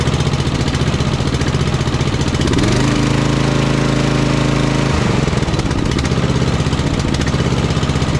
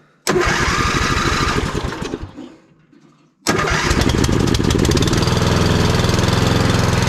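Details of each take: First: Simplicity Cavalier 3110 riding mower, 11-12 hp Briggs & Stratton single, first start after no-start, choke and throttle cable not fully adjusted yet: steady, even thump about four beats a second, no knocks or misses; runs fine. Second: Vintage Simplicity Cavalier 3110 riding mower with an 11–12 hp Briggs & Stratton that had been dying at lowest idle. After raising the idle stop, it starts, sags and nearly dies, then catches and runs with an uneven, hunting beat; rough idle.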